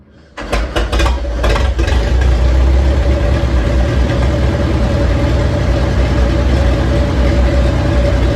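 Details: 85-year-old tractor started hot after a new 3D-printed carburettor float and a magneto rebuilt from parts: a few cranking pulls, then it catches and settles into a steady, even low thump with no misses or knocks. It runs sweetly.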